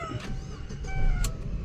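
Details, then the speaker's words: Chevrolet Aveo (manual) that hard-started and stalled once hot, now idling after running over an hour with the fuel pump addressed. A low, even hum with no stumbles or surges; the light chirps are the car alarm. Idling smoothly with no hard start or stalling. "So napaandar ko na siya kanina ah isang oras mahigit mga boss. Pinaandar ko na siya. So okay na. Hindi na siya nagha-hard start or namatay."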